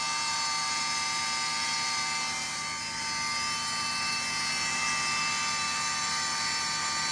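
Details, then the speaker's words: 2001 Cadillac DeVille, fender liner removed to reach the pump: a loud, steady high-pitched electric whine over the engine at startup, cycling off as the car warms; owner suspects the secondary air (AIR) pump, later replaced. "jeez that was loud okay you can hear it turn on and turn off as a car warmed up a little bit occasionally when I'm driving this will also go on it'll make that sound for a couple seconds and turn right off"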